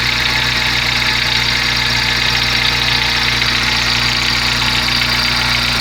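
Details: Steady idle on a VW Gol G4 with a busy metallic rattle on top, pulsing about 2.5 times a second; source not identified, owner asks what the noise means.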